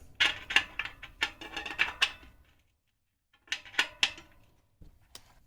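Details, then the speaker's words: Ribble R872 with Chinese carbon 50mm rear wheel, after replacing a broken spoke. Plucked spokes ring sharply, but the new one sounds duller and lower than the rest: that spoke is under-tensioned and needs tightening. "it's a much flatter sound isn't it need that more high pitch resonance so they're all high pitch the new one very low tone so we need to keep tightening that until we get that resonance up a bit higher"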